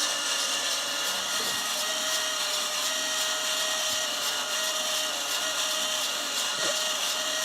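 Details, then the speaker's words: Skywalker V1 with the fan turned all the way up and the bulb turned down: a steady airy roar with a fixed whine and faint ticks about once a second. The fan sounds very unhappy. "That's a very unhappy fan. Let's find out what's wrong with that fan."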